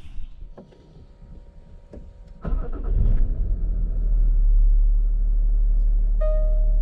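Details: 2010 Land Rover Discovery 4 3.0 V6 diesel after alternator replacement: starter whirr, then it fires and settles into a smooth, deep, steady idle with no knocks or belt squeal. It charges at 14.5 V; the fault was just the alternator.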